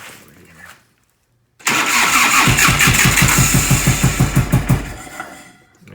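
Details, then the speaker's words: 1990 Harley-Davidson FLHTC Evo V-twin, start on choke: settles into an uneven, lopsided chug about three per second on the rear cylinder only; front has good spark, owner suspects carburetor/intake problem or accelerator pump. "I pull the choke on and it started up it would chug chug chug chug and just start there an idle beautifully nice and quiet smooth but on one cylinder"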